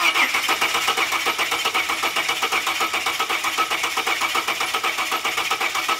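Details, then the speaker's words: LPG Ford Falcon cranking during a compression test after a coil swap ruled out the coil: lumpy, uneven rhythm about one stroke per second, dead on one cylinder; head or piston suspected; low compression. "oh no it's D it's dead on one cylinder oh Brucey brucey's got a bad head or something or a piston"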